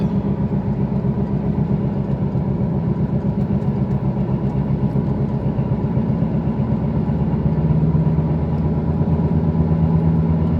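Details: 2008 Volkswagen Passat while driving: low droning hum building with road speed under tyre noise, loud above about 60 km/h; worn wheel hub bearing, replaced.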